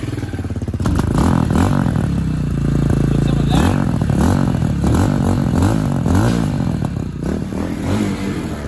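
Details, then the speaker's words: Tao TBR7 250cc after installing a PZ30 carburetor: quick crisp revs rising and falling evenly with no misfire or stumble; normal revving. "We are back in business guys! I call that a WIN guys! Everything sounds good."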